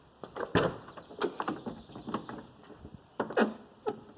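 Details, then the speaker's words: 1987 Mercedes 300 SDL car door swinging with clunks and short creaky squeaks from a dry door check strap that needs greasing. "hear that squeaking not sure if you could hear that here's the door strap and that squeaks because it needs to be greased"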